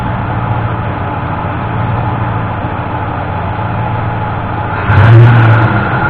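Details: 1988 Ford F-150 V8 in neutral with a timing light attached, after the broken distributor-side ignition module was replaced and the engine retimed: steady, even idle with a brief rise near the end, no stumbles or missing; normal idle.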